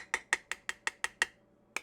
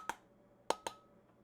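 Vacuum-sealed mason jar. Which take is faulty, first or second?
second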